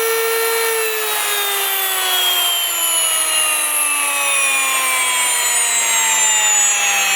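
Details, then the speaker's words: New Wondermill electric grain mill, first use after grinding two cups of grain: high steady squeal slowly dropping in pitch, no knocks or grinding; normal sound of the hopper run empty, signalling grinding is finished and the mill should be turned off. "they say you'll know when the the grain is finished grinding when you hear that high pitched squeal so it obviously the hopper is then empty and you want to turn off the mill"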